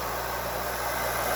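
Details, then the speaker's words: New Bauer 6-inch bench grinder with wire brush, running after an initial wire strand ticking on the shield wore off: an even, quiet whir with a faint whine, very little vibration and no knocks; normal running. "very little vibration it's not very loud either it's pretty quiet now"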